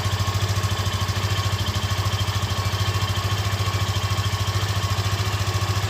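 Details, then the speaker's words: Yamaha FZ15 motorcycle, first start of the morning with the engine fully cold, idling: an even single-cylinder thump with no chain rattle or ticking. Normal cold idle. "Esse barulho aí, ela tá com o motor frio, frio, frio."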